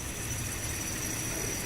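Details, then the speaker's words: Rhino Evo Arc pan motor: a steady high hiss with a faint whistle whenever the arc turns during calibration, coming from the body and increasing with camera position; the slide motor itself is quiet. Cause unknown. "first thing it asks us to do is to turn the wheel to point the camera soon as the Ark begins to turn you'll start to hear that hiss"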